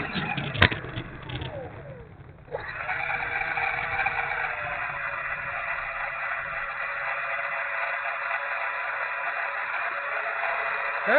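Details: E-flite A-10 Thunderbolt II twin 64mm electric ducted fan model: steady high whir with a ragged, buzzy edge after spool-up; one fan motor runs rough, cause unknown; rough running electric ducted fan.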